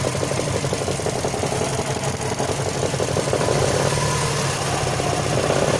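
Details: Subaru Forester SF5 with EJ205 engine at idle: steady mid-pitched tapping about three times a second over the engine note; knock from within the engine.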